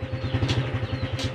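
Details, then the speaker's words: Honda Supra X 125 FI motorcycle after fixing loud clunk when shifting gears, engine running with rear wheel turning: even idle with soft regular pulse and no clunk through shifts; gearbox smooth. "juga lebih enak dan nggak ada timbul bunyi ceklok lagi"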